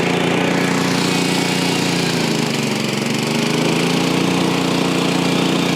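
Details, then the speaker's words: Frontier OS23 portable sawmill cutting old-growth southern yellow pine: steady small-engine drone sagging slightly midway as the blade takes load, then holding; motor note change shows the feed rate is right. "You push it all the way. Go a little faster. You want to hear the motor just change. There you go."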